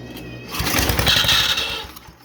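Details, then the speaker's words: 1971 MTD, Briggs & Stratton engine with points ignition just cleaned, on starting fluid: catches and pops in a fast, ragged burst for about a second, then dies; odd note, cause unclear: brief firing with odd noise. "Yeah, it does. Just gotta figure out why it was doing that sound though. I can't believe we're gonna bring this back to life. That doesn't sound right, but it's a start."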